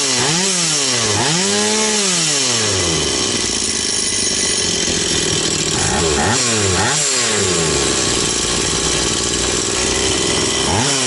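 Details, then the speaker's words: Stihl 180 two-stroke chainsaw after piston and crankshaft seal replacement: high buzz climbs and drops cleanly with each throttle blip, returning to steady idle without hunting; revs normal, no air leak anywhere. "Оберти нормальні. Бачите, вже всь повітря нігде не тягне."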